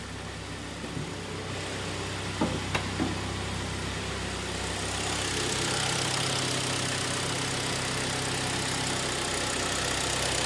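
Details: 2011 Hyundai ix35, G4KD engine, 153k on odometer, after repair for heavy oil burning from coked rings and a knock after winter cold starts: heard from outside, even quiet idle beat with no knocking over wind hiss; sounds healthy.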